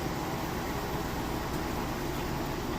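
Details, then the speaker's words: Maytag HE top-load washer, like-new, spinning during rinse with drain running: smooth, even rushing whir without thumps, knocks or scraping; spinning fast with a balanced load, healthy. "I'm actually going to show you while it's rinsing that it's moving, spinning nice and fast."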